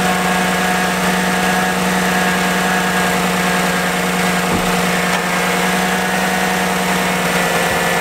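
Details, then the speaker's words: 2014-2019 Chevy Silverado/GMC Sierra idling as new coolant temperature sensor is tested: loud steady rushing roar never easing; radiator fan running very high, as before when the bad sensor was stuck reading 160 and the fan ran continuously. "okay guys you can hear the fan is running very high let's see what we got"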